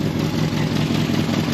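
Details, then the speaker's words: 1983 Toyota pickup with freshly rebuilt Weber 32/36 carburetor (rebuilt after leaking fuel), first start after cranking to refill drained bowls and fuel line; steady, even idle with a low throb and no knocks or misses. "Fire right up."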